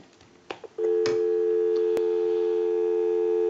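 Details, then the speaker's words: Northern Electric 233QF payphone after repair and conversion, line switched out bypassing the analyzer to call a time-and-temp number; a few clicks then a clean, steady dual dial tone, normal dial tone. "we can call a time and temp number so we'll go ahead and give you some dial tone"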